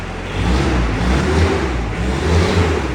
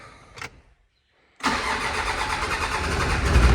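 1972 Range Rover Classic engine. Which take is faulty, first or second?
second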